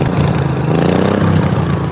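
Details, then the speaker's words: John Deere mower twin-cylinder engine revved after a coil apparently fell out, no spark on one side; loud, lumpy, uneven chugging with a hollow beat; running on one cylinder. "It does sound kind of like it's on one cylinder. That's weird."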